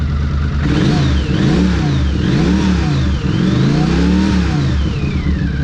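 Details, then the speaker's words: 1982 Honda CX500 Turbo running after 25 years, after new fuel pump and cleaned injectors: repeated blips pull a clear turbo whistle up and down with revs, picks up and settles cleanly; normal revving with turbo whistle. "And it idles! We're making turbo noises! Listen!"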